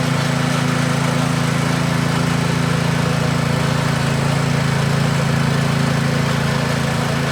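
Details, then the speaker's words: Scotts tiller with the trashed original engine replaced by a DeWalt pressure washer engine, run after the swap: steady, even low drone with no stumbles or misses. Runs healthy and fast; ready to go. "Yeah, she's ready to go. Way too muddy, but man, it's super fast."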